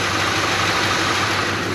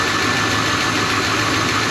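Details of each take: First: 1985 Chevy Suburban K20 after removing an air filter that was pushing on the throttle: smooth, steady idle with an even note and no belt squeal; normal idle. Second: 1985 Suburban K20 V8 warmed up at idle: fast light ticking riding on top, steady with engine speed; source not pinned down, owner hopes not internal, says it almost sounds like exhaust or exhaust contact, unconfirmed.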